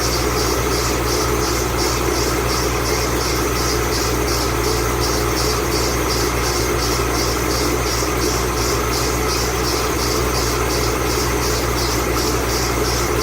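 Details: 2008 Ford Mustang Bullitt, 8-rib serpentine belt squealing on cold start the morning after sitting overnight in the garage, under 30 miles driven: high chirping squeal pulsing about twice a second over steady idle, belt slipping.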